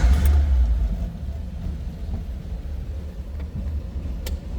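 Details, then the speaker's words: 1934 Ford Model 40 5-window coupe flathead, started with ignition on and the electric fuel pump switched on: catches quickly with a loud first burst, then settles into a low, steady, even burble; healthy flathead. "This thing runs and sounds like a flathead."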